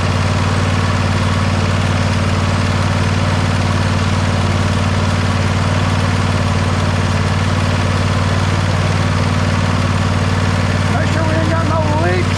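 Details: John Deere engine idling after oil change and converting the Easy Change filter to a regular oil filter, checking for leaks; steady, even low rumble with regular beat, no knocks or misses, healthy.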